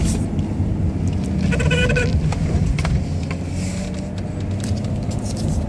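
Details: Omega steering column noise: brief bleating groan that rises and fades over a low engine rumble; cause undetermined.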